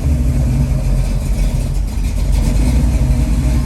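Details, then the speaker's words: Freshly rebuilt Ford 289 331 stroker V8, second start with choke, idle stop cranked in heavily: deep, lumpy, uneven idle that wants to die. Oil pressure present and water temp rising; mixture screws need adjusting and the idle needs tuning. "okay it's island now [Music] wants to die"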